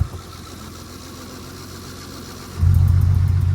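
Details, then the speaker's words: K24-swapped Honda EP3 with cold air intake, running rich: quiet idle then a sharp rev; a light ticking tracks engine speed, confirmed with a stethoscope as an exhaust leak rather than valvetrain tick. "In person and in the video, it sounds like it's got a tick, but it does not. It's an exhaust leak."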